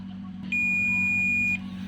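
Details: Samsung 40-inch LED TV that trips the house meter when plugged in, lifted secondary-side power board diode tested with multimeter: steady high beep about a second, dead short.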